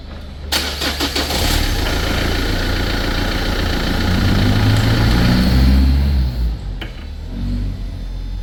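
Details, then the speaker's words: Renault Clio 2: quick run of ticks each time the key is turned after a stop, then the engine catches and idles; ticking comes from the electric hydraulic power steering pump motor, which is failing. "Az önce aracı çalıştırıp durdurduktan sonra , her kontağı çevirdiğimde tıkırdama sesi geldi. Bunu daha önce de duyduğunuzdan eminim. Arkadaşlar, bu ses hidrolik direksiyon pompasından geliyor."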